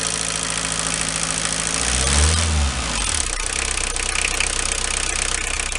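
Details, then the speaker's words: Renault 21 turbo diesel at 180,457 km: rattle at idle that sharpens into a harder, quicker clatter as revs rise, present on acceleration for 2 years, audible in the cabin; rocker adjustment done, not a conrod or bearing; cause unknown. "Voilà, ce bruit-là, là. Je l'ai eu en accélérant il y a 2 ans."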